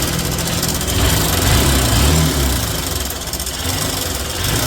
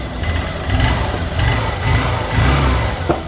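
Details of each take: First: Honda Shine single-cylinder bike with a worn timing chain due for replacement. A loose, fast metallic clatter over the idle that follows the revs: timing chain rattle. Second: Honda Shine motorcycle after timing chain replacement for engine noise: smooth, even idle swelling cleanly with a few throttle blips, no rattle or tapping from the top end; normal idle.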